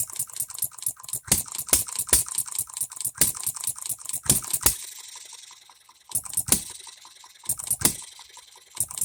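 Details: Economy hit-and-miss engine after new piston and re-ring, freshly oiled, no cooling water yet, seating rings: run of rapid sharp firing cracks then pause and widely spaced single hits; hits hard, properly hitting and missing, governor to be slowed.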